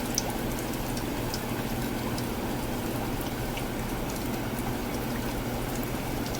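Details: Evaporative (swamp) cooler after replacing the pulley-side pillow block bearings: steady trickling water and an even fan hum, with the earlier squeal gone. It runs normally.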